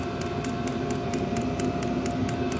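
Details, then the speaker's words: Diesel heater newly mounted in a cargo-trailer toyhauler, fuel pump not yet boxed in: light, even ticks about four a second over a steady fan hum; the dosing pump is pulsing normally and the heater runs fine. "So yeah, here's where it comes in. That fuel pump still makes a little clicking sound."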